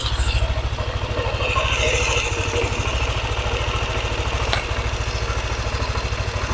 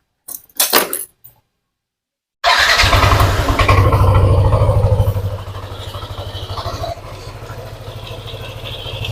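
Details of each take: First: Yamaha NMAX scooter, previously ticking only when hot, now at 81 °C: smooth even idle with no ticking on top, sounding healthy; normal hot idle. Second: Yamaha NMAX scooter, quiet when cold but warm idle: fast light tek-tek-tek ticking about three a second, louder when throttled; worn crankshaft bearings.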